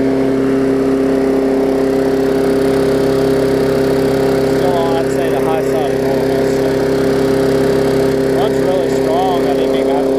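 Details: Craftsman 22-inch big-wheel push mower, 2008, Briggs classic engine, after salvaging the safety cable and adjusting the carb linkage spring: steady, even single-cylinder drone at constant speed with no surging or hunting; running smoothly at the right speed.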